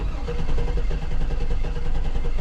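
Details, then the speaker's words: 2009 Hummer H2, 181,370 miles, misfire on cylinder 3: cranking in clear-flood mode with an uneven beat, one stroke lighter each turn, indicating a low-compression cylinder; relative compression test to follow. "We have a low cylinder. We clearly have a low cylinder."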